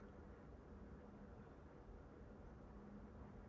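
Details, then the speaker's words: MSI RTX 5090 Gaming X Trio graphics card fans at 50% speed under benchmark load: quiet, steady airy whoosh, no rattle, tick or rising whine; fans running smoothly. "So 40%, it's getting a little bit louder. Still very, very quiet though."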